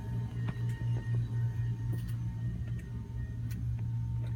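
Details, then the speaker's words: Cabin air conditioner with electronic AC thermostat on a Cruisers Yacht 340 Express Cruiser, running very well: a steady low hum with an even drone and no surging or rattling. "Has electronic AC thermostat. Right now it's running very well. You can hear it."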